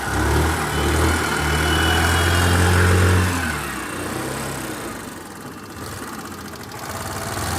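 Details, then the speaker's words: Hero Duet scooter idling after a loose clutch-side nut, left under-tightened by a previous mechanic, was tightened: steady, smooth low idle without rattle or knock; noise gone, normal idle. "Scooty हमारे start हो गई आवाज दे रहा था गाड़ी अब आवाज खत्म हो गया"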